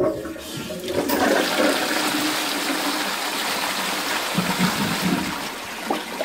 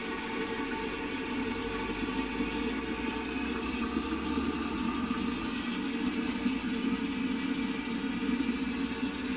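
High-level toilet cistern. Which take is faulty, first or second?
second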